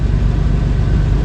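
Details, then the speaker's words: 2005 Jeep Wrangler Unlimited (LJ) rebuilt stroker, first start after replacing a failed oil pump drive unit and fitting a high-volume oil pump: deep, smooth, steady idle with no ticking or knocking and good oil pressure; normal idle. "idling smooth all right I'm gonna take that as a success I'm happy"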